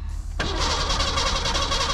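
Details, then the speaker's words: 1987 Ford Bronco II, manual, in neutral with the clutch in: strong, steady cranking that never catches, with no fuel pump hum underneath. The fuel pump or its relay is suspected. The engine cranks but won't start. "yeah they got no pump though but that sounds awesome"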